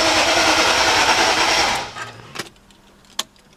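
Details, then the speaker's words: BMW E39 with rebuilt S62 V8, first start attempt, fuel pump relay removed: even, rapid dry cranking at about three to four beats a second with no firing, then stops; normal dry crank. "Dry crank, no fuel pressure relay, or no fuel pump relay."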